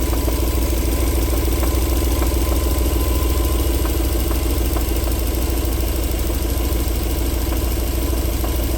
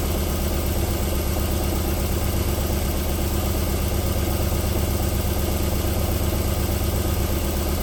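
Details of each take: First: 1994 Alfa Romeo 3.0 24v QV at warm idle: smooth when cold, but after about 4 minutes sharp knocks break through at uneven roughly one-second intervals; engine knock returning when warm. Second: 1994 Alfa Romeo 3.0 24v QV, cold start: even, steady idle with low smooth pulse and no knock or tick; knocking returns after about four minutes warming up.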